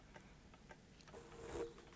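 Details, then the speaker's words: Defective camcorder with a stuck Video8 tape (Sony CCD-TR705 or Canon UC-X10), powered from a bench supply that is not hitting its current limit. On eject, faint regular clicks come about every half second with no load or eject movement; the mechanism is stuck. "it's stopped now try eject one more time this makes a clicking"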